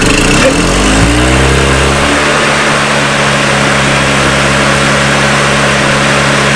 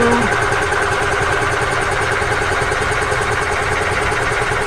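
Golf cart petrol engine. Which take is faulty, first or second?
second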